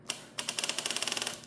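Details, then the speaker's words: 1984 GPX750 Turbo motorcycle, unstarted about a year, new charged battery fitted: rapid dry solenoid clicking, about a dozen a second, with no crank. Neutral light goes out when the clutch is pulled and the lights drop out with key on; cause unclear. "If I try to start it, I get the solenoid clicking like it, like the battery's low, but I know it's not."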